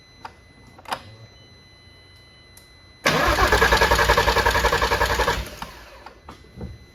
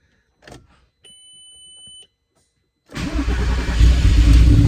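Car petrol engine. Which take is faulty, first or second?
first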